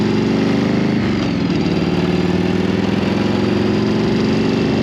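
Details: Barn-find Harley-Davidson V-twin bought at auction, started up: catches and settles into a steady, even low idle with loping beat and no knocks; sounds healthy.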